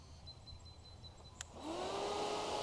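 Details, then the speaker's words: 2006 Honda RC51 SP2, aftermarket SPAL fans behind radiators switched on by manual override button: click, then fan whirs up to steady whooshing hum; radiator fan running normally. "that is why i did install a spa fan which is an upgrade for the radiators it goes behind there's two i believe they're push fans and they can even be activated with this button right here"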